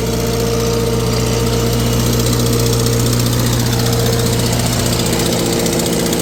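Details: Vintage tractor warm on a dyno at steady idle, an uneven beat with two or three stumbles a second: a slight miss, cause not yet checked. The exhaust manifold is cracked and was JB-welded.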